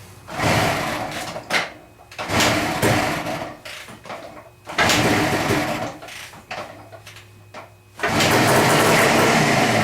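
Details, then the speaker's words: Suzuki, old ethanol fuel, choke on, after a long lay-up: kicks catch in uneven bursts and die, then one short rough run. Bad carburettor floats make the mixture hard to set between lean and rich; owner suspected a stuck float and tapped it. "She wants to run. Problem is, trying to get those floats set right with them being bad, it's hard to get hit between lean and rich."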